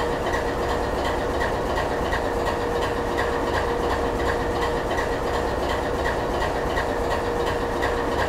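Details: GE 7FDL16 diesel engine at low idle: deep, steady idle with an even pulsing beat, no knocks, misses or rattles; normal, healthy low idle.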